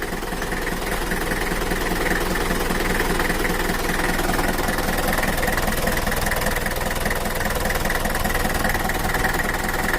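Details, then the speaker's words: Mitsubishi Kuda diesel (4D56) after repair of a rough, limping idle, low power and an oil leak, set back to standard: steady idle with an even, regular clatter of about two and a half beats a second, nothing rough. Normal idle. "oke udah normal ya Rul untuk mesinnya sudah standart lagi dari suaranya bisa enak udah enak didengar dan juga mantaplah"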